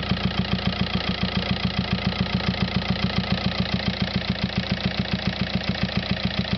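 A sharp, even tick about three or four times a second rides over the diesel idle; something's knocking, source not yet pinned down.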